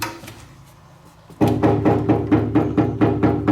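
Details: Citroën body panel backed with 1 mm metal plates bonded with Tiger Seal silicone, no foam yet: knuckle taps about twice a second give short, dull thuds with no tinny ring; the sealant has deadened the oil-canning.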